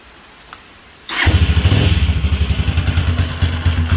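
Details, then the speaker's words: Motorcycle in a workshop starting and idling lumpy with an uneven dragging clatter each turn; traced to the camshaft, though starter clutch (bendix) bearing or rollers can cause similar noise. "listo mis amigos quería compartirles ese extraño ruido que ustedes escucharon a la introducción del vídeo es procedente del árbol de levas a veces también Suele suceder que procede de lo que es el rodamiento o los los rodillos de lo que es el bendix"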